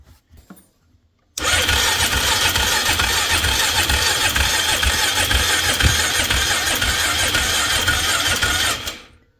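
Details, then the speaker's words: 2003 Polaris Magnum 330 4x4 ATV with hard start history, fuel line off carburetor: steady fast starter whir about eight seconds, no firing; very weak fuel flow, owner suspects weak fuel pump, battery going flat. "I don't know about you, but that seems super weak. We probably just not getting any fuel pressure."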